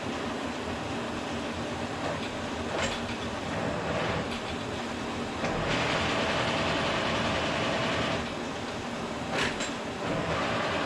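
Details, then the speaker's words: K&T milling machine, first run after oil-system flush and refill with oil: stopping the spindle and trying every feed gear, with the table moving at about 4.25–4.5 in/min. Steady whir and gear clatter shifting slightly between settings, no grinding or knocking. Normal gearbox. "And I'm just stopping the spindle, trying every gear. So far, so good. They all have sounded good so far."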